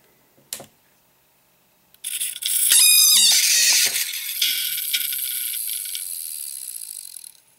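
On power-up a harsh metallic screech rises with fast ticking, about four per second, and holds steady: heads crashed, scraping scored platters.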